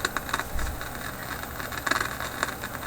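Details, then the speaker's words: Philips 922 vacuum tube radio after replacing a dozen capacitors, tuned to the top shortwave band (about 6–16 MHz): irregular sharp crackles and pops over steady hiss; owner suspects a failing capacitor's changing capacitance, unconfirmed. "Still kind of crackly, eh? It's getting something. Now, hear that terrible crackling"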